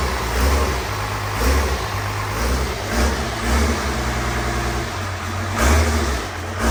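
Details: 12-valve Cummins diesel in a Grumman van: deep low clatter swelling smoothly with each rev and settling back steady; engine running cleanly.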